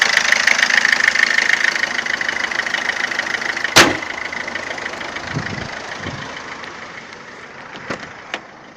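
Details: 2007 Ford Fiesta 1.4 TDCi 69hp diesel at idle: a busy, sharp, somewhat uneven ticking knock at about 200 per minute. Abnormal engine knocking, cause not identified.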